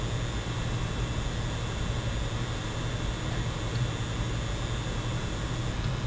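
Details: PlayStation 5 recorded with the microphone 10 cm away: a thin, high-pitched coil whine over the fan hush, louder when the GPU is at 100% and at high frame rates such as 120 Hz mode; annoying but not dangerous.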